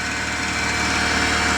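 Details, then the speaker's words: Freshly rebuilt Honda VTEC engine on its first start-up: steady high whirring over an even idle with no knock. The whir is attributed to the clutch bearing, to be replaced with the engine removed again. "tarted it now and it sounds a lot better because it's the clutch bearing we're going to change that"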